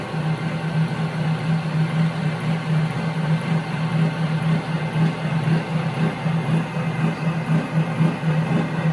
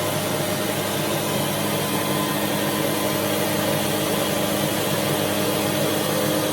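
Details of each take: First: Omega high-pressure air compressor pumping toward 4,500 PSI: loud, steady low hum with an even pumping beat about twice a second; owner feels it fills slowly compared with a Yong Heng. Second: AC/DC air compressor running: loud, steady high-pitched motor drone with even hum, no knocks or surges; normal running.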